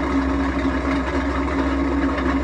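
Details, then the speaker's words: Washing machine noisy on spin: loud steady rough roar with low hum, suspected failed drum bearing; possibly cracked drum, to be confirmed on teardown. "Bakın bu ses rardan geliyor almış İnşallah Kazan Kırık değil de Kazan kırıksa makine çöp onu da açınca anlayacağız"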